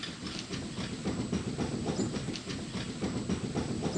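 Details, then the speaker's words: 2009 Subaru Outback right front hub bearing, replaced only about a year earlier, wheel rocked by hand on a jack: quick clunks about three or four a second, rotor moving 1/16–1/8 inch; the worn bearing has excessive play. "yeah it's obvious that bearing shot and here's another perspective on that I don't know how much you can see that play in there this rotor is moving in and out I'd say more than a 16th of an inch less than an eighth"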